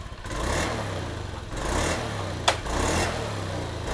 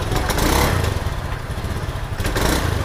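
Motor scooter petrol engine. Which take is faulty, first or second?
second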